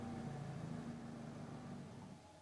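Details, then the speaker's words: Mitsubishi Lancer CK4, engine warm: runs, then sags and stalls within a couple of seconds as the throttle is released, idle RPM won't hold up; faulty ECU idle control. "mati juga ternyata dia sama juga ya saat gasnya dilepas Dia ee enggak mau juga ee tinggi rpm-nya padahal mesinnya kalian lihat sudah panas ya"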